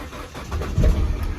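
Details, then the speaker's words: Peugeot 207 with P1337/P1338/P1339 codes, overheating and limp mode: starts and runs really rough, an uneven lumpy rumble as if on three cylinders, then the check engine light comes on; misfire fixed by replacing the ignition coil. "Right, so it starts up. You can kind of hear it's running really rough. Okay, it's sort of like it's only running in 3 cylinders, which isn't really ideal."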